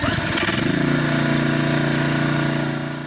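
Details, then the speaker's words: Craftsman pressure washer (Briggs & Stratton 6.75 hp) after carburetor clean and oil change: steady even drone, no surging or misses; normal running, big difference from before. "you guys can see clearly there's a big difference there so that pressure washer is ready to be returned back to our customer"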